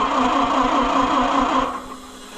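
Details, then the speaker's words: Oliver 550 tractor after push rod repair and valve adjustment, on a jump box: steady starter grind about 1.5 seconds then cuts out without catching; slow to start, points or flooding suspected. "the horrendous point there. Come on. It might be flooded, too. There it is."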